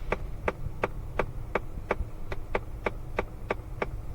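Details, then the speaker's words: 2017 Ford Fiesta, clicking when AC controls change: sharp steady clicking about three times a second over low fan hum appears when recirculation is switched on and stops when off, a faulty recirculation door actuator. "Off, goes away, on, comes right back. So I know it's the recirculation actuator, meaning motor, little servo that opens and closes the door."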